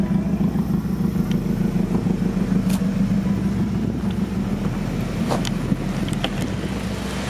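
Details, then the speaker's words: H23A-swapped Honda Accord idling after a new ECT sensor was fitted for a morning no-start. It has no idle air control valve and sometimes stalls cold. Loud raspy puffing chuff about three beats a second comes from a flame-blown, busted-open flex pipe: an exhaust leak. "i have busted this flex pipe clean open so it sounds like it's got a pretty nasty exhaust leak"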